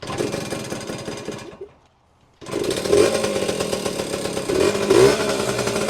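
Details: 1977–79 Yamaha GT80 Enduro two-stroke, roughly 45 years old and unstarted for a while, started on choke after an oil change; crisp buzzy revs, a brief cut-out, then eager throttle blips with little smoke, running clean and healthy.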